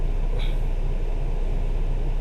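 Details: Cadillac SRX4 with GM High Feature V6 running after in-car timing chain replacement: steady, even low rumble with no knocks, ticks or rattles; no trouble codes afterward, normal running.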